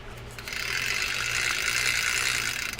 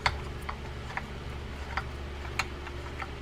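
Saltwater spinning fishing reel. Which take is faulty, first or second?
second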